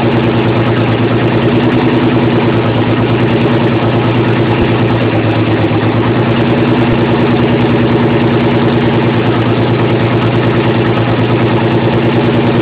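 The idle has a loping, lumpy pulse about three times a second instead of a smooth hum; it's missing on a couple of cylinders.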